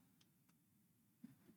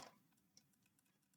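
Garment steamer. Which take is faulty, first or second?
first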